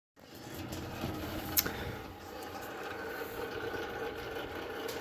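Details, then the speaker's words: Frigidaire Gallery wall oven, under 4 years old, running a self-clean cycle, gives a steady rough grinding hum with a faint whirring tone and one sharp click, apparently from the internal fan: oven grinding noise. "can hear that grinding sound that's the oven Frigidaire Gallery brand absolute crap"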